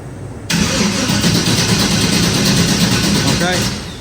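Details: Vehicle cranking on a weak battery with charger connected, voltage dipping to about 8–9 V: starter churns steadily about three beats a second but engine never catches; crank no start, no spark from weak coil voltage.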